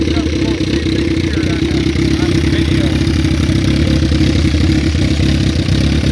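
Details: Custom Gen 1 Hayabusa running strong: a busy, uneven rattle from the rider's right side at idle, like a fan rubbing on something, disappears around 3000 rpm; the cause is unknown.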